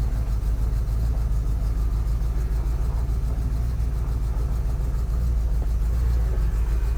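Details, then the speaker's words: Engine just started, choke working, little smoke on startup; low, even warm-sounding rumble at about three to four beats a second with no knocks or misses, a normal healthy idle. "good girl sounds good I don't a lot of smoke on Startup choke seems to be working good I'm happy with that"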